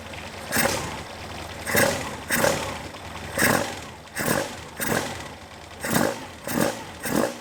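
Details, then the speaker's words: 27-year-old Caterham Super Seven 1600GT Sprint, 1.6 L carbureted engine, bare mufflers: quick, even throttle blips rise cleanly and settle back to idle without popping once the engine has stabilized. Healthy idle and revving. "But once it stabilizes, it idles."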